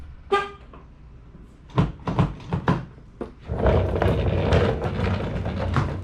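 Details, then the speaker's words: 2012 Nissan Sentra after replacing the noisy front and rear door lock actuators: a short horn chirp, then crisp lock clicks with no buzzing or grinding afterward; the door locks now operate normally. "all right so that was it as you can see no more noise on the car at all just a regular alarm"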